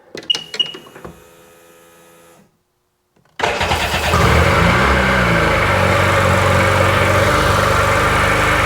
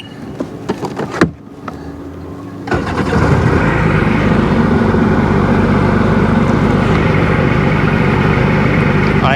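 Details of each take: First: Sea-Doo 951 DI two-stroke after rebuild, dry test in drown mode with no drive shaft: clicks, then it fires into a fast buzzing idle with a faint hiss from an air leak at an unhooked hose. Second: Sea-Doo GTX 951 DI two-stroke, rebuilt engine with new solenoid tested at the lake: steady even burble holding idle right around 1450 rpm with no hunting or misfire.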